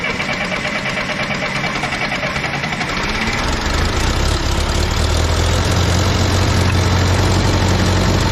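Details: Case 188D diesel engine in a Case backhoe tractor, first fire-up after a year-long rebuild, injector pump refitted, throttle worked by hand: cranks a few seconds, catches, settles into a steady even idle with no knocks or misses; normal idle.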